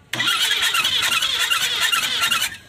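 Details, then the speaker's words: Newly fitted 474 engine in a Changan double-cab cargo truck, driven about 40 km, won't start; a harsh scratchy squeal pulses while cranking. No oil reached the cylinder head, valvetrain dry, and the head is ruined; dry-running squeal from oil starvation. "这忽然一下就出现一个这个响声，大家听一下。这声音好像就在发动机里面啊。哇，打也打不燃，这种我看到好像没上机油，听着好像就是没上机油的声音。"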